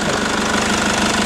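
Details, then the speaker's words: 2003 Mercedes E220 CDI, OM646 2148cc 150hp diesel, 6-speed manual, rear-drive, about 1,000,000 km, idling with bonnet open: steady even diesel clatter, no misses or knocks, healthy normal idle. "Evo ga, čujete kako radi, to je taj Mercedesov AM 646."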